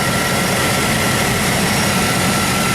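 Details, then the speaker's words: 1999 Chevy Tahoe V8 after P1345 (crank/cam position sensor) repair, one part pulled out and the other put right back in exactly in its place: even, smooth idle with no whine, miss or stumble; normal idle; owner notes a possible exhaust leak at the muffler. "you'd never know this thing had a problem I mean it's running just as smooth as silk no whining or complaining at all I'm happy now"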